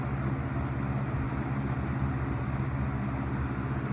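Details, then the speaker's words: Vintage Coast-Air 12" box fan, guessed late 60s to early 70s, on medium speed: smooth even airy rush and low steady hum, no rattle or wobble, no motor or bearing noise; seems to have been oiled, running normally. "kind of a short spin down but seems to run very well quiet operation no motor noise no bearing noise"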